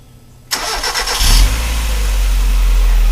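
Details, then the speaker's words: 1994 Mazda MX-5 Miata after replacing all four spark plugs and plug wires: brief starter whir, engine fires at once and settles into a smooth, even idle without stumbles or misfires; healthy running. "And there it is, music to the home mechanic's ears."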